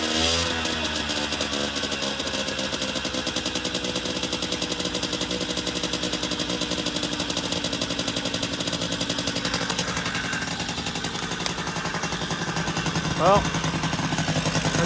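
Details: 1980 Yamaha Champ 49cc two-stroke scooter on first start after a new cylinder and piston kit, throttle broken so revved by hand at the engine: buzzes steadily, pitch rising and falling, running cleanly without knocking.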